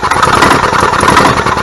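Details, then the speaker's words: 1998 Club Car DS gas golf cart engine sputters and pops unevenly with a skip, trying to pick up and run but failing; misfire traced to a failing ignition coil/igniter. "all right so you can hear how it's trying to pick up and run but it won't"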